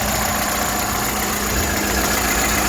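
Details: Vandalised salvage VW Golf Mk6 bought at auction, described as mechanically immaculate: a steady, even idle hum with no knocks, ticks or whines; the engine sounds healthy.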